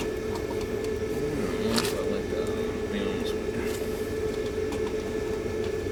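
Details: Hydro-air heating system air handler blower after fitting a new motor and a number 10 capacitor: smooth, even, mid-pitched hum with no rubbing or rattling, running healthy.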